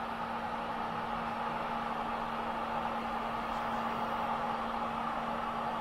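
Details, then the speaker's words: 100TB 10Gbit home server after replacing stock fans and heatsink with Noctua PWM fans on standard profile, first boot, camera held near the fans: soft, steady airflow hiss with faint low hum, no rattles or ticking; whisper quiet. "listen to that it's just whisper quiet I'm like holding the camera inside of the fans almost"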